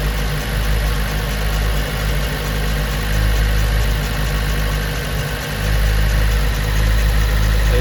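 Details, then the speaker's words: 2010 Chevy Monza with MAP P0106 and TPS P0122/P1122 codes: a fast, steady idle with a constant low drone, while the TPS signal measures 1.0 V and looks fine. The high idle is caused by a faulty throttle position sensor. "parece que está trabajando bien no ahorita reviso pero es un hecho que el motor está acelerado"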